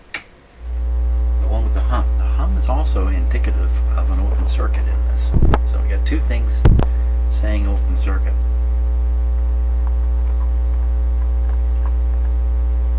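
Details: BSR 610 record changer in Dominion Electrohome TR50 console receiver, one channel dead after cartridge install: loud steady low hum with a few handling clicks; open circuit in the tonearm wiring to the cartridge is suspected, not confirmed.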